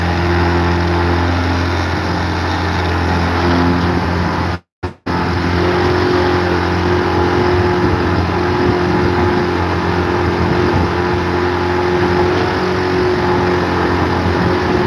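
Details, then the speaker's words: Tricycle engine with choke in running rough: steady low drone with a lumpy, uneven beat, won't idle; owner suspects a blown head gasket or something seriously wrong. "It doesn't idle and then that's the sound it makes whenever you have the choke in."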